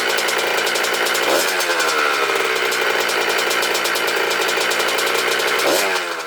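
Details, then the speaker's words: 1996 Honda CR80R two-stroke after fixing the cause of low compression and other issues: crisp high-pitched buzz rising cleanly on two quick blips and dropping back evenly; strong, healthy running. "Man, this bike sounds good."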